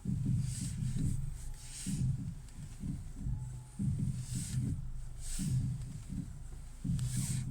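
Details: 2012 Ford Mondeo, phone held near the ear while turning the steering wheel: uneven low clunks in bursts about every one to two seconds. Owner suspects the steering rack; not confirmed.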